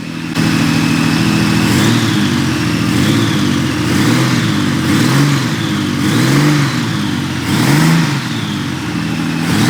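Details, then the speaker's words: 1997 Honda Valkyrie, first run after sitting 10 years, exhaust smoking from burning off debris: clean even engine note rising and falling smoothly with throttle blips, no misses or clatter; normal revving. "But, I mean, this thing sounds like it runs very happily. [Music] Very, very happily. Let me give it a rev."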